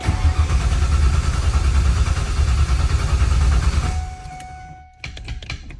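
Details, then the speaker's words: Foxbody Mustang after changing distributor PIP pickup stator: starter churns steadily about four seconds, never catches, then stops with clicks; crank, no start, TFI module suspected. "I'm trying to start, I don't even think it's working"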